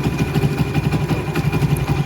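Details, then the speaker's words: Splendor Plus motorcycle after replacing a worn timing chain set with bad rollers: single-cylinder idle with an even, steady low thump, no ticking or rattle, engine now quiet. "तो आप check कर सकते हैं bike के engine की आवाज बिल्कुल ही silent हो चुकी"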